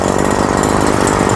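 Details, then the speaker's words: Robin brush cutter two-stroke engine with original piston, only cleaned; an even, steady buzz held at high revs with no stumbles or misses. Starts easily, idles well, running normally like new. "เดินเบาได้ดีนะครับรอบสูงก็ก็ถือว่าดีนะครับพร้อมใช้งานถือว่าเป็นตัวใหม่"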